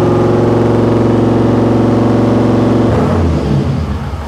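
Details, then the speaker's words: 1955 Chevy Nomad small-block with dual Holley Sniper EFI, restarted after a tuner reset with the wrong Sniper model selected. It holds a fast, steady 2700 rpm idle for seconds, then drops; a vacuum leak is suspected. "okay well it's revving the 2700 RPM so obviously that is not the plan and now is not the time to figure this out"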